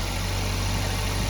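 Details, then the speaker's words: Maruti Suzuki Baleno in winter, cold start: steady, smooth drone at raised fast-idle rpm with no knocks or grinding, rpm dropping gradually on its own as it warms; normal cold start fast idle. "तो भाई देखो RPM कितने ज्यादा RPM हो रहे हैं। अभी देखो अब धीरे-धीरे अपने आप कम हो जाएंगे।"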